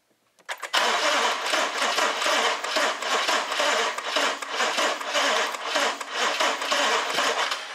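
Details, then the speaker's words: 2014 BMW 650 with N63 engine, cranking during a pressure-transducer test before repair: a ragged, skipping crank with uneven puffs and gaps; one bank's timing is so far out it doesn't contribute, so the engine runs only on bank one. "yeah as you can see um it even sounds uh terrible when cranking okay um and basically like i said i have looked at this before and what is going on is it when it starts runs and idles and idles rough it's only running on bank one"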